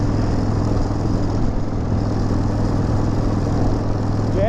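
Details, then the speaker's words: Harley-Davidson V-twin after air filter change, running on a ride: deep, steady rumble at an even pace with no misses or stumbles; noticeably smoother than before the change. "the boy just sounds so much different already I can hear it just feel it smoother that's much smoother"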